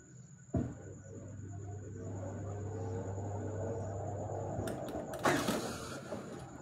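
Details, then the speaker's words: Haier automatic washing machine tilted backward: a low motor hum as the drum starts, then a few light ticks as the drum hits the unbalance switch button. The spin quits and the machine drops to rinse. "ये आवाज़ note की आपने, drum घूमते साथ ही टिक टिक की आवाज़ आई। अब machine एक सेकंड ट्राई लेगी कि शायद वो आवाज़ बाय चांस आई है।"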